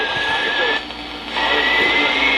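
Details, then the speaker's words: 1962 Zenith Royal 2000 all-transistor AM/FM portable radio tuned on AM near 970: steady high whistle over hiss drifting slightly in pitch as the dial moves; receiver seems to oscillate right at about 970. "alright so the camera seems to oscillate right at about 970 so"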